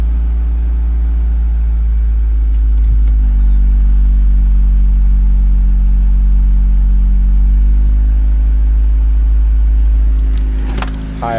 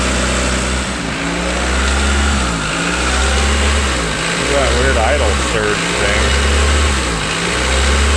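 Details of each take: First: 1992 Honda Accord, cold engine (thermostat not yet open), after cleaning idle air control valve with carb cleaner: deep, steady idle with even beat, no dips, surges or misses; idle consistent. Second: 1992 Honda Accord after timing belt and water pump replacement: idle surges and sags roughly every second and a half; behaviour changes when unplugged, owner suspects dirty idle air control valve.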